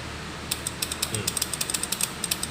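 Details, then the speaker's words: New, still-sealed bi-xenon projector with no bulb fitted. Crisp, evenly spaced ticks at about seven per second as the shutter solenoid cycles. It works normally. "Hai solenoid nya tidak nashya Hai masih bagus ya Hai terdengarkan suara ketak ketuk ya"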